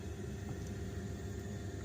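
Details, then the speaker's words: Household hot water recirculating pump running, heard after laundry shut-off valves replaced with ball valves; faint, steady low hum with no surging, rattling or grinding; circulating pump running normally. "you can hear the recirculator pipe run pump running. Keeps the hot water good in all the pipes all the way to the end of the house"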